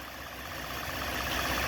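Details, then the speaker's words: 2012 Ford F-150 3.7L V6 idling with the serpentine belt removed so no pulleys turn. Smooth, quiet, even idle without the whirring it had before, showing the noise came from the worn water pump, which has excessive play. "now i'm going to start the motor again and let you hear what it sounds like without any of these pulleys moving [Music] it's a whole lot quieter now ain't it"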